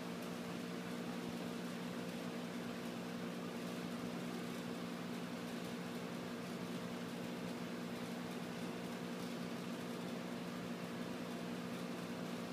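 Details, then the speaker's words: Old refrigerator compressor converted into a vacuum pump, pulling vacuum on a gas measuring cylinder, runs with a steady even hum, constant low tone, no knocks or rattles; operating smoothly. "So now we're going to plug the compressor in, and it should pull a vacuum on our cylinder. Yeah, you can hear it running."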